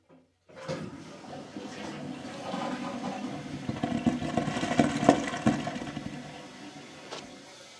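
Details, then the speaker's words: Tub drain with mic placed over it as the toilet flushes: crackling, bubbling rush from the shared pipe because the P-trap lost its water; vent stack suspected blocked by 17 inches of snow causing negative pressure. "And if you didn't hear that crackling, that was actually yes, the toilet water flowing from the same pipe as the tub itself. So they must share."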